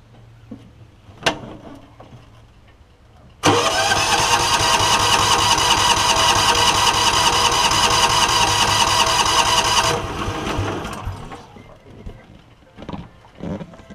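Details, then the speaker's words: John Deere Gator (Kawasaki engine), hard to start, before coil replacement; valves and compression checked good; about six seconds of steady fast cranking, roughly two and a half beats a second, never firing, weak spark from failing ignition coil. "I don't think it's going to start but I think you can see that the spark is pretty weak"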